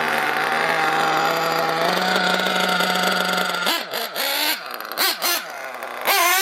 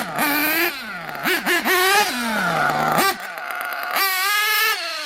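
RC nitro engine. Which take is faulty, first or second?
first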